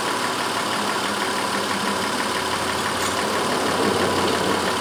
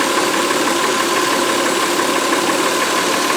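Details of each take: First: 2004 Honda Pilot 3.5 V6 after the cylinder 4 misfire was traced: even, steady idle with no stumble or skip throughout, runs smooth as glass. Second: 2004 Honda Pilot 3.5 V6 with a flashing check-engine light and cylinder 4 misfire: uneven, buffeting idle stumbling about three times a second. Traced to an intermittent loose injector connector terminal, not the usual oil-fouled plug.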